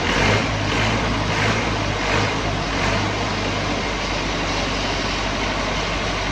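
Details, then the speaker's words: Old Lincoln engine-driven welder, over 30 years old, just serviced with the filter changed and air hopefully bled from the fuel system: steady, even engine drone with a low hum, no stumbling or misses; normal idle. "It's more than 30 years old and it still purrs like a kitten."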